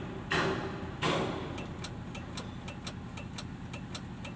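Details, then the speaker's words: Hino Lohan 260 truck, key turned to start: only a dry ticking about one or two a second from the relay behind the left dashboard, with no cranking; a blown starter-circuit fuse cuts the starter. "bunyinya Disini di bagian rumahan segreng itu ada di lelenya"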